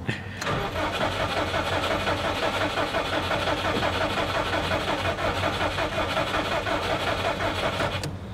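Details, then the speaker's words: Subaru WRX with JDM EJ20 2.0, during no-start testing: about eight seconds of steady, even starter cranking that never catches. Cranks but no start. "let's be honest guys I'm really not expecting this thing to start but it's just good practice that if you see something like that at least try it"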